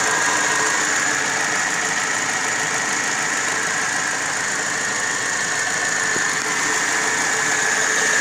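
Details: Car engine bay with the air conditioning on: a steady high-pitched whine over a hissing engine bay with no rhythm; an AC-related engine noise whose cause is not pinned down.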